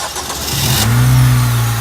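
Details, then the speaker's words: Acura RSX starting right after starter replacement. Starter cranks briefly, engine catches cleanly and settles into a smooth, steady idle with no grinding or hesitation; normal start. "that's the sound that we like. Car is all started up."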